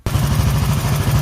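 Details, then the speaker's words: Honda CG 1983 single-cylinder motorcycle at idle: quick, even knocking pulses over the low thump of the engine, a noise from inside the engine, cause unclear; engine to be fully disassembled. "Não sei se vocês escutaram, mas ela tá com um barulhozinho dentro do motor dela."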